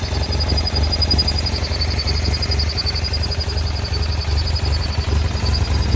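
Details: 2009 BMW F800GS with a very rough idle and cutting out in traffic: a low, lumpy, stumbling idle caused by one idle-actuator vacuum hose torn and the other broken off the airbox spigot; fixed with new hoses and a connector.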